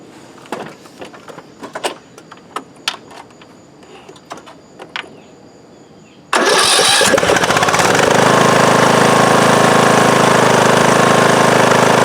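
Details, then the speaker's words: Briggs & Stratton 19.5 hp single-cylinder Craftsman mower engine after re-gluing the flywheel magnets: a few clicks, then it starts and runs to a steady, even full-throttle drone with no crunching or high-pitched vibrating noise; charging about 12.8–12.9 V. "But I didn't hear that sound, that crunching sound, or that high-pitched vibrating sound that was bugging me earlier."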